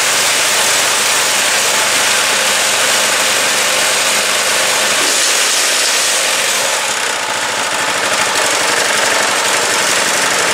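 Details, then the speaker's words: New Predator 212cc 6.5 hp single-cylinder engine replacing 40-year-old engine with failed carburetor on snow blower, started first pull, auger engaged: steady even drone, no knocking or extra vibration; running smoothly. "I'm going to try my auger. Everything seems to be working. The engine's running pretty good."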